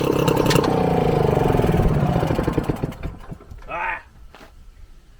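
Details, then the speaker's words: Frazer tiller, first run since the 1980s after magneto installation and timing, on 32:1 two-stroke mix with 93 octane: catches immediately after the spark plug was pulled and refitted, with a quick, fairly even chuffing beat before winding down. "every time man it fires right up maybe that's the trick to this just uh take it out of the head every time"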